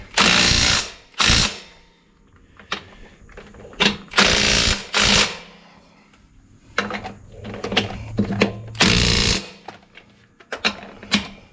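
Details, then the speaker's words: Impact driver on the third, heaviest setting before auto-cutoff, tightening Case IH 75C tractor front wheel lug nuts: short, strong, even bursts of rapid hammering with quiet gaps; working normally. "this far setting right here this light the furthest one is a setting where when it gets so tight it just cuts off"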